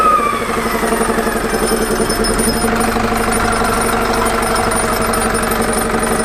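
Diesel idling with a fast rattling beat and a high whistling whine that fades away at the start; suggests a failing turbo. Cause suspected, not confirmed.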